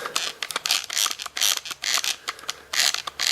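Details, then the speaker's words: Kirby Avalir tech drive removed from the vacuum and tipped by hand: silent when tipped one way, but tipped the other way it gives bursts of sharp, uneven ratcheting clicks, about two a second. The drive selector shaft catches instead of disengaging. "If we tip it that way, [Music] see it's not catching. Tip it and it catches."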